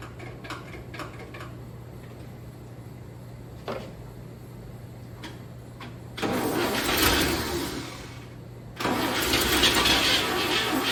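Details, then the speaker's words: 1959 NAPCO Chevy Apache 1-ton, rebuilt 235 six-cylinder, first startup after oil prime and fuel pumped to the carburetor: light clicks while cranking, fires and runs evenly, catching cleanly after a brief dip; oil pressure, no leaks; normal start. "so i can swing turns like a kitten no leaks we got oil pressure fire's right up okay fire's right up"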